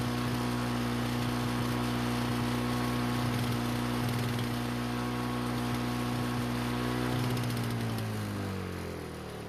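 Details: Lawn-Boy mower after replacing a badly damaged brake cable (wouldn't start): small single-cylinder engine runs steady and even at governed speed, then winds down smoothly; briefly flooded but cleared, running normally.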